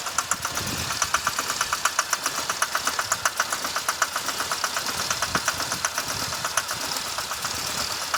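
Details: 2006 Chevy Impala 3.5 V6 flex fuel idling with sharp, uneven stumbling ticks: rough idle, likely a misfire. It also shows a traction service light, reduced engine power, burning smell, stalling and codes P301 plus IAC. Cam sensor and magnet were already replaced and the throttle body is suspected next.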